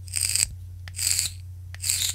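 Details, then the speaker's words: VOOPOO Argus GT vape firing at 45 watts with stock coils: three short bursts of sharp hissing crackle over faint hum; loud coil crackling, a known flaw of the original coils. "voilà le petit défaut des résistances d'origine c'est le bruit de crépitement vous fait voir devant le micro"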